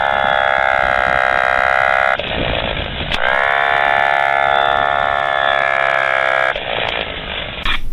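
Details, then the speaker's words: Generator set starter motor removed and bench-run, cranking engine only 80–85 rpm and overheating: whining motor tone with rough scraping from the back side, slow speed; armature rubbing the starter housing. "so I feel it's sound is a little very strange and the backs side okay and it's running good here's here is it's problem and it's also become very hot"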